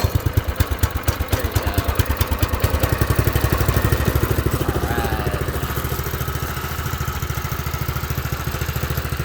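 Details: New Predator 212 engine on a Baja doodlebug, started on choke: steady, even single-cylinder putter at fast idle with no misses or knocks; runs well.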